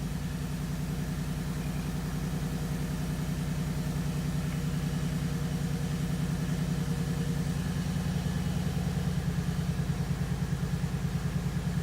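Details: 2015 Mustang GT right after installing a PMAS cold air intake (no tune), idling: a deep, steady V8 rumble with even firing pulses and no knocks or misses. Smooth, normal idle.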